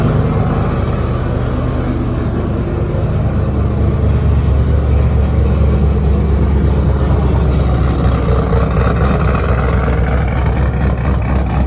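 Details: 2009 GMC Sierra with Cadillac swap, after cylinder three misfire from failed lifter and camshaft, fixed with upgraded cam, lifters and top-end build: deep, choppy, loping idle with clean throttle blips; healthy big-cam V8.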